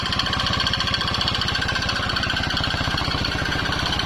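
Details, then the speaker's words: Yamaha X-Ride scooter, recently bought used: harsh, rough clatter from the middle of the engine at fast steady idle, about 220 beats a minute; suspected oil starvation. "ini ada X Ride ya yang suaranya kasar sekali di bagian tengah mesin ya sehingga saya buka bagian di sini ternyata bunyi itu bukan dari sini"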